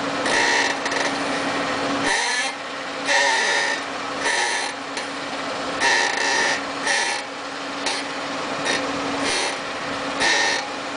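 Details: 2007 Lincoln MKZ AWD in park: repeated squeaky creaks from the front passenger side as the steering wheel is rocked slightly left and right; fixed by replacing the control arm and spindle.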